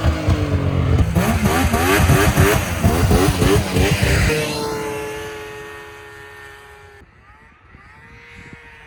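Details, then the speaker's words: 2000 Yamaha VMAX 700 Deluxe two-stroke triple snowmobile, 11,000 miles, after replacing a belt missing a chunk: crisp revs climb hard and settle evenly, no more shaking. "no more shaking now"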